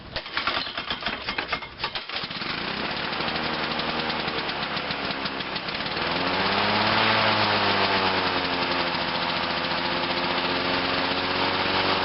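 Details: 1986 Lawnboy 8461 Commercial mower, started on choke: pull-start catches, settles into a steady even buzz, revs climb a little on choke, then runs smoothly; normal running.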